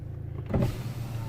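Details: 2009 BMW 123d E87 2.0 diesel, driver power window after repair without parts: short, smooth motor whir as the glass travels, no grinding, clicking or straining; window motor healthy, though auto one-touch not yet relearned.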